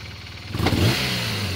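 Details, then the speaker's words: BMW R1200RT, warm but not fully hot, idling around 1100 rpm: rough idle, then on full-throttle blips the revs stumble, nearly stall and backfire; worse when hot in traffic, cause unknown. "just revving it up you'll hear her stumble actually almost stalled there oh there's a backfire again it's stumbled"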